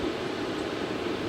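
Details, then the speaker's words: 2013 Mercedes A180 W176, M270 1.6 turbo petrol, automatic, after thermostat housing replacement: radiator fan roaring flat out as the engine overheats, coolant not circulating; owner suspects the coolant pump is not pumping. "as you can hear, my fan is going off, and that's because the car is starting to overheat, and that coolant is just not circulating."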